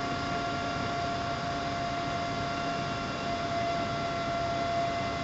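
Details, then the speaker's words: Sanyo Denki 48V 10,000 RPM 60x38mm CNC cooling fan on automatic temperature controller, running about a third of rated rpm as temperature drops: steady even whir with soft airy hiss; normal cooling fan at reduced speed. "difference in noise big difference you're running only about a third of its capable rpm right there"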